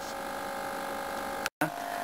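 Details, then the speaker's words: Lynxmotion Johnny 5 robot with torso fitted: steady high-pitched servo hum holding position, cutting out briefly; the cheap Chinese servo in the lowest torso position hums most, versus a Hitec HS-645MG above it. "and as you can hear the servos are huming Noy um I've put the cheap Chinese Servo in position number one which is the lowest in the Torso"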